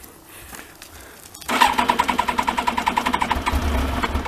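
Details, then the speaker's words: Yamaha Thunderace motorcycle, not started for ages and no coolant in it, being checked for a water leak: the starter cranks about 3.5 beats a second for a few seconds without catching; it normally starts straight away. "I don't think it'll start because it hasn't been started for ages. We'll try anyway."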